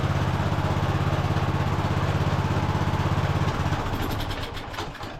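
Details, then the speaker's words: Free non-running Cub Cadet LT1045 riding mower, after carb cleaning and fuel system repair, manually choked: fast, steady putter for a few seconds, then it sags and dies. Surging, won't hold idle; owner plans an air-fuel adjustment. "it is still surging a little bit I'm going to try to make an adjustment on the air fuel"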